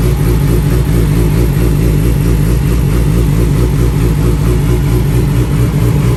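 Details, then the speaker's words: 2007 Yamaha R6 running after rewiring and getting the fuel pump to prime: a loud, steady four-cylinder idle with an even beat and no misses or knocks. "there you have it the 2007 electrical nightmare R6 is running"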